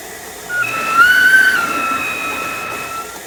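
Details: Squealing/screeching noise from a new Saniflo Saniswift pump, in use since installation on 20 April for about 3 laundry loads a week; thin high squeal rises, holds steady, then eases slightly.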